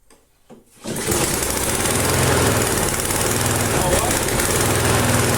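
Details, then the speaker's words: Flea-market lawn mower, Briggs & Stratton 5 HP, half throttle, carb uncleaned, no air cleaner fitted: fast rattly single-cylinder beat swelling and easing slightly; mild idle hunting, owner suspects the missing air cleaner. "It's running just fine, and I think the little bit of hunting you saw there is because it doesn't have the air cleaner on."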